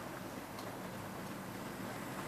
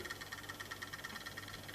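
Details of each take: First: EFE/Kernow Southern Railway CC1/Booster (Class 70) model locomotive, brand new, running in at 50% speed pulling a train, drawing 200 milliamps: steady, even rushing of motor and wheels, no surges or knocks; normal running under load. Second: Brand-new EFE/Kernow CC1 Booster model loco on first run: lumpy and creaky in one direction, with quick even clockwork-like ticking about six per second over a soft motor whir; smooth in the other direction. Clicking traced to a loose worm gear retainer.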